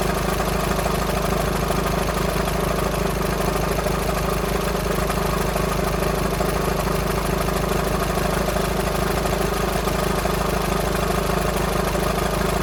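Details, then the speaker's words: VW Sharan 2.0 TDI CFFB common-rail diesel, cold start after new timing belt and refitted injectors without bleeding: steady idle with a light, fairly even rattle about twice a second; owner suspects a bad tensioner pulley, not the engine. "So I think the noise at low idle, or at idle, is that tensioner pulley rattling. I don't think it's anything to do with the engine."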